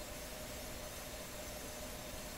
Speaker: okay so I'm pretty sure it's in the stop position that sound you hear the ringing is the brake shoe rubbing on the inside of the rim doesn't seem to be not much of a break isn't it